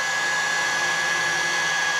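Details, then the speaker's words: Portable hot-air soldering blower after replacing the burnt IC: steady, even high-speed whoosh with clean constant whine, no rattle; motor runs properly at full speed, adjustable down to slow. "Saya percepat putaran dinamo. Ini seperti kalian dengar sendiri. Ini pelan sekali. Kencang, kencang, kencang, kencang ya. Ini saja sudah kencang ya kawan-kawan."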